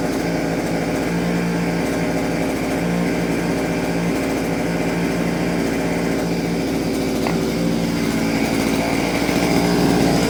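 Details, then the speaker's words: Vevor 6-in-1 multi-tool two-stroke with hedge trimmer attachment, blades had stopped after hitting metal; after the gear was freed it holds a steady, even buzz with no knocks or rattles, working normally. "Turn it on. Pull my It's working. Yeah, it's working now."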